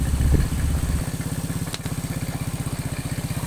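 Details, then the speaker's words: Honda Supra X single-cylinder motorcycle after repair of loose valve guides: steady idle about four pops a second with an even low thump and faint gurgling; the gurgle shows oil reaching the head, oil passages not clogged; normal idle. "Nah, kurang lebih seperti ini, ada suara ngorok. Itu menandakan sirkulasi oli itu sudah masuk ke bagian head."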